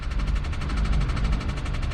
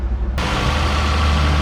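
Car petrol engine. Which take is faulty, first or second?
first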